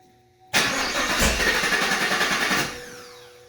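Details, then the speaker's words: 2019 Camaro SS, 6.2 L LT1 V8, during stuck-injector repair with all injectors confirmed plugged in: starter cranks steadily about two seconds but never catches; extended crank, no start, cause unknown, it later started with nothing changed. "That was really weird. It failed to start a few times and we changed nothing and then it failed to start again and then it started up."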